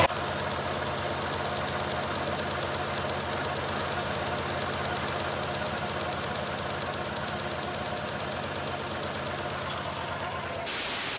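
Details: ST170 Mk1 Ford Escort at idle after balancing the throttle bodies with a primitive gauge and locking the adjuster: even, steady idle with a regular firing pulse, no hunting or misses; running a lot smoother, normal idle.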